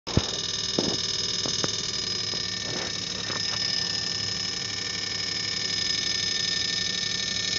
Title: Crappy LG linear compressor rattling , failed compressor noise